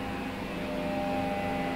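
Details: Air compressor electric motor that won't start, humming: steady low electrical hum with no run-up; motor stalled.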